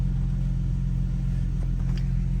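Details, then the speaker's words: Infiniti G37 (owner says G35 or 37), warm engine idling with AC on just after a DIY 5W-30 full synthetic oil change; previously ran a little rough, now low, steady, even rumble with no misses or knocks: normal idle. "I can already hear the difference, so my car is just running. The car was running a little bit rough before, so now with this oil change, definitely can hear the difference in the idle and all"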